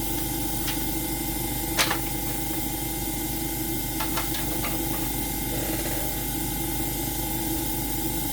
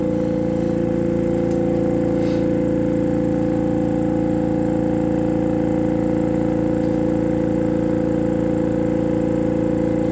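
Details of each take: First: AromaO2 coin-operated oxygen concentrator switched on manually, before the oxygen test: the compressor gives a steady low hum with light clicks. It is running normally, and the unit is later shown producing about 30% oxygen. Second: AromaO2 oxygen concentrator compressor hums with an even pump pulse of about 2.5 per second, yet the output shows no oxygen rise. The owner suspects the long test hose pumps too slowly; the finding is a disconnected internal hose.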